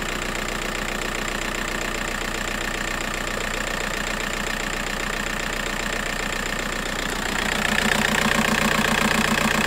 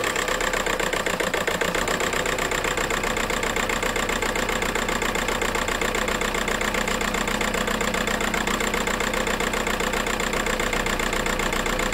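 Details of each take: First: VW Golf 4 TDI 115 diesel, previously juddering and shaking, now idles with a steady, even clatter and picks up smoothly after the wiring harness fault was fixed; ESP warning light gone. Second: VW Golf 4 TDI pump-injector diesel shaking at idle: lumpy, uneven idle with a regular stumble from one dead cylinder; owner suspects the injector harness or an injector.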